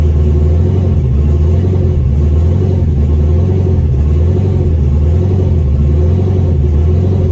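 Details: 2002 Pontiac Trans Am WS6, fresh-build iron-block 6.9L LS with VSR 78mm turbo, Holley Terminator X, allegedly zero miles: deep idle wavers and lopes unevenly, never settling into smooth rhythm; runs rough.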